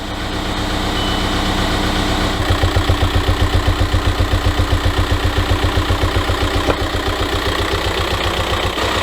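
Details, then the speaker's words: VW Mk5 Jetta on a cold start at idle: a sharp, regular knock of about four beats a second, which the owner hears as cam knocking through the intake. Cause suspected, unconfirmed. "can certainly hear that cam sharp knocking through the intake as gross as it is"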